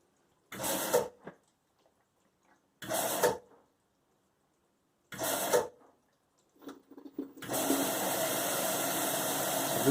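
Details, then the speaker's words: Nine-year-old LG washer during fill: steady water rush with no scream or whistle, after replacing the cold water inlet valve that had been screaming. "is where it was screaming before and that noise is clearly gone so there must have been something inside that valve that is much quieter"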